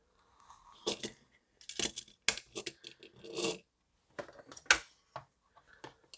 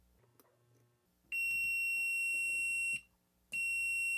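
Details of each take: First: DigiTech Bad Monkey Tube Overdrive pedal, board exposed, footswitch pressed directly by finger after suspected worn rubber actuator: handling clicks and taps, then a clean undistorted chord; only dry signal, no overdrive effect. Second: DigiTech Bad Monkey overdrive pedal footswitch tested with multimeter on continuity; two clean steady high beeps, each held while pressed: continuity present, footswitch working fine.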